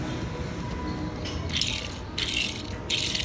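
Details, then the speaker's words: Samsung WW11T754DBX front-load washer, noisy during drying: a removed 6206/6207 bearing spun by hand gives dry, gritty rattling from rusted, damaged balls; replaced with new bearings. "parah sekali ya. Jadi ini bola-bolanya udah tahminnya rusak."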